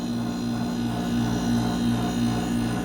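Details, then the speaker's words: Mini split that had only blown room-temperature fan air, after replacing the 35 µF 440 V capacitor: the compressor now runs with a steady, even hum and no clicks, and the lines turn cold and sweat. Normal operation. "Bueno, aquí ya reemplazamos. Más o menos ese es el sonido que debe de tener."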